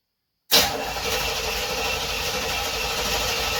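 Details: 1976 Corvette Stingray unstarted 8 to 10 years, after new fuel lines, fuel filter, 20 litres fresh fuel, fresh oil and filter: starter spins the engine at a steady even rate but it never fires; cranks, no start.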